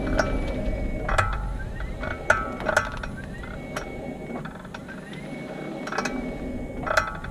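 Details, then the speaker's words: 2018 40 kWh Nissan Leaf near 5,000 miles, GoPro on front wing, e-Pedal, slow pull-away from standstill and stopping: rising motor whine with sharp clicks and clunks from front driver's side; mechanical-sounding, cause undiagnosed. "engage each pedal start from a complete standstill and then just slowly increase the pressure on the accelerator and you should hear a clicking noise if you've got this as wel"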